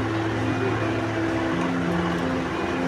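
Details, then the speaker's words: Rechargeable charger fan after its damaged circuit was replaced with a regulator controller circuit, battery powered; speed is turned up gradually toward full. Quiet motor hum rising in tone with speed, smooth and without rattles; it runs fine. "এই দেখতে পাচ্ছেন ফ্যানটা চলতেছে। এই দেখতে পাচ্ছেন ফ্যানটা চলতেছে। এই দেখতে পাচ্ছেন এখন স্পিডটা আস্তে আস্তে বাড়াবো।"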